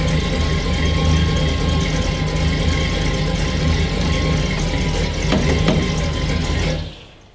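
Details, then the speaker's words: 1966 Chevrolet Impala, parked 7+ years, rebuilt junkyard engine with possibly a 6-liter cam, bigger injectors and truck headers: deep, uneven loping idle, then the engine shuts off. "Sitting here idling about 850. You can hear it's got a little lope, and that's probably bad gas."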